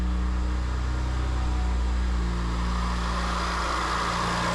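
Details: BMW 1M clone, factory twin-turbo petrol, just started after intake and blow-off valve install, before revving; low, steady idle rumble with even beat, no hunting or misfire, idling fine.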